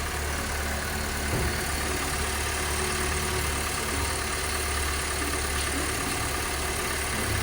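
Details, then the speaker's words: Honda Civic at idle after the noisy water pump bearing was diagnosed and the pump replaced: smooth, even idle hum with no whirring or grinding from the engine front; the noise is gone. "Engine start करने के बाद मैंने आपको आवाज़ सुना दी है। गाड़ी हमारी बिल्कुल 10/10 ओके हो चुकी है।"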